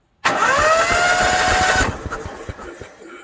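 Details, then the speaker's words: Onan 5500/7000 Marquis Gold RV generator after carburetor cleaning, plugs out, previously would not turn: quick, even whir with a steady rhythm and no binding; normal cranking. "Now it turns like it's supposed to. Alright, everything's cranking over good, so now we'll put the spark plugs in and maybe see if it won't start."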